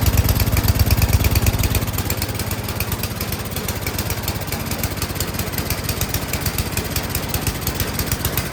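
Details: 24-inch MTD Yard Machines snowblower single-cylinder engine, no-start after sitting with gas and carburetor found unbolted, after carb low-end opened about one turn and high-end tuned: steady, even putter with no surging or stumbling; runs cleanly.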